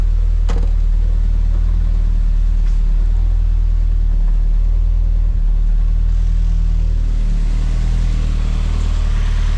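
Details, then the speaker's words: Toyota MR-S with a swapped big-turbo 1.8 20V forged engine, Ignitron ECU and 1330cc injectors, on its first cold start at 85 psi oil pressure with no coolant: steady, even, smooth idle with no knocks, misses or smoke. Normal cold idle. "I cannot believe my Nissan 1330 CC injector massive and it runs like this from cold amazing"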